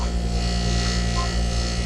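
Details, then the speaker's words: Bryant home AC condenser in 93-degree heat: a steady compressor hum with no fan whoosh; the fan only tries to turn. The owner suspects a shorted winding. "okay so now i've got it on you can hear the compressor running but no fan this is bad now watch see how pan is it's kind of trying to go on it now it's under power so we've got a shorter winding or something"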